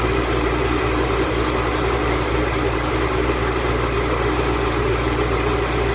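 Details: 2008 Bullitt Mustang, 8-rib serpentine belt, running the morning after sitting overnight in the garage, under 30 miles driven: a high, fluttering chirping squeal pulses three to four times a second, a slipping serpentine belt.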